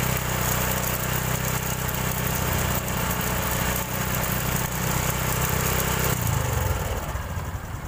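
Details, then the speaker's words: Honda Supra X 125 fuel-injected: smooth at normal idle, but at about 3000 rpm a dry, gravelly, sand-like rattle comes from the left (magneto) side over the exhaust note; worn cam chain or tensioner letting the chain slap. "itu bunyinya pada saat langsam normal halus ya teman-teman tapi pada saat ketika buka gas sekitar di 3000 RPM itu langsung berbunyi seperti ada kerikil-keril bercampur pasir ya di bagian kiri atau di bagian magnet"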